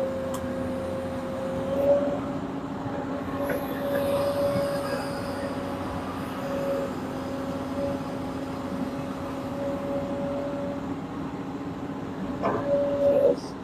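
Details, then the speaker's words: Komatsu PC200 excavator during pre-operation check (P2H), revs raised and lock released: steady engine drone with hydraulic whine rising briefly as each function is worked; everything normal, unit judged safe to operate. "Setelah kita mencek keseluruhan bagian alatnya, ternyata sudah aman dan sekarang kita siap mengoperasikannya."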